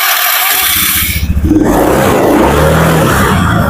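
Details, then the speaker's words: Honda Beat FI scooter before its fuel pump was replaced, with fuel pressure only 25–30 and never reaching 40: it revs, then sags into a wavering idle and stalls. "Tidak sampai 40 ya. Turun nanti mati. Nah, ini mati ya."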